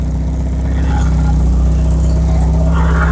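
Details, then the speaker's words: Stolen Porsche 944 that sat a year in the woods, first run after repairs: loud, rough, puffing idle from an exhaust leaking in many places, with joints apparently stuck together with putty. Oil pressure is good and the idle is otherwise good. "[Music] exhaust but got good oil pressure the idle's good up here man yeah the exhaust is leaks upon leaks upon leaks"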